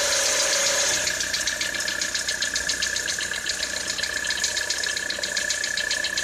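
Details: 2013 Citroën C4 at cold idle in freezing weather: a sharp, fairly regular tick of about four per second over the engine note. It is an engine knock of unknown cause.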